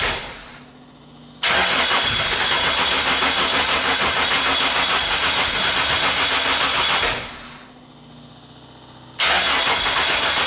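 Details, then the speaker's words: Classic Mini 1.3 track car after roller rocker replacement and plug-lead firing order correction: two clean revving bursts rising and dropping back smoothly, no knock or misfire; normal running. "i'm just going to give it a shot let's see how it sounds good give it a bite that's good sounds good"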